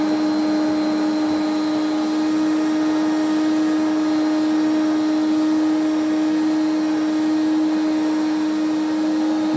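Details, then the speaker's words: 1980s Electrolux 350E cylinder vacuum, restored, motor poor inside: started on minimum power and worked up to boost, steady high whine with a rough, gritty edge and a grumble on wind-down; worn motor, improves with use. "let's turn it on and you can hear how poorish she sounds so we'll start off on minimum and then work way up"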